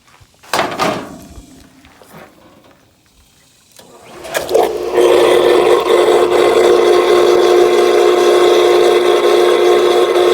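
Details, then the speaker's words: Whisperflo pool pump, below water level, after replacing leaking internal diffuser O-ring that stopped priming: a couple of clunks, then a steady, even mid-tone hum; primed immediately and runs normally. "Right up immediately. You have a bad gauge here, but it's working. Pump primed straight"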